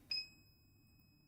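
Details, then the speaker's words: Ender 3 3D printer fitted with a new BigTreeTech Mini E3 V3 board, tested after the part-cooling and hot-end fans: a single short, clear high beep over a quiet room, so the beeper works. "beeper works. I don't know if you heard that. Do you hear that? Do you hear the beeper going?"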